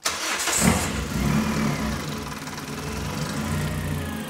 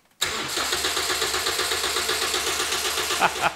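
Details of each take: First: Budget engine-swap car started using the Yaris key transponder trick, checked for heater hose leaks: a quick crank, then it fires right away, flares briefly and settles into a smooth, even idle without misses. Check engine light off; normal start and idle. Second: Budget engine-swap car started with a Yaris key, its transponder held against the key-barrel antenna to pass the immobilizer: steady rapid cranking, about four turns a second, for over three seconds, never catching. Crank no-start; immobilizer not accepting the key.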